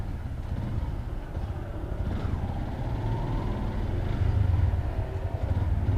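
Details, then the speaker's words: Motorcycle at idle after a new rocker arm and tune-up at the shop; the earlier loud rocker-arm ticking, possibly from timing, is gone. Low, soft running with no top-end tick. Engine now quiet and normal. "Okay, goods na no mga Cubs. Wala nang ingay sa makina."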